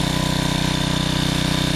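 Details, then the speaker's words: Generac 750 W portable generator after final carburetor adjustments with air cleaner on, choke fully open, load off (about 139 V output): even, fast single-cylinder putter holding steady speed, no more surging; normal steady idle. "there's no more surging so I'm very happy with it"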